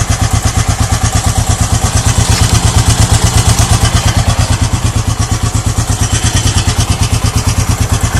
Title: Gs400 clunking sound